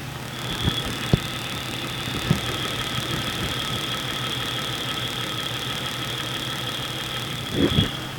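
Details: Jeep 4.0L engine probed with a multi-channel tester, red clamp at the base of the dipstick tube near the oil pan: steady idle with a faint high whine and a few scattered dull knocks, about four in eight seconds; irregular knock, source unclear.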